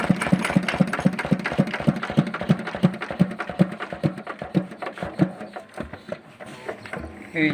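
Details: Single-cylinder diesel engine driving a pump, after pump vacuum/air-removal repair: even, regular thumps about three a second with no misses or knocks; running smoothly.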